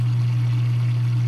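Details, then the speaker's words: Dishwasher on the drain cycle after the drain hose was cleared and the pump taken apart: steady low mains hum and vibration with no water flowing. Drain pump hums but does not pump. "nothing didn't find any instruction I completely took that thing apart yeah vibrating"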